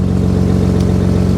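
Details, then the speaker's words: RB25DET at idle, steering held at full lock after new power steering hoses and clamps were fitted and the reservoir cap refitted: smooth, steady low hum, no pump whine or groan; normal power steering at full lock. "So let's double check and see if it makes noise on lock. All right, that's hard lock. That's hard lock."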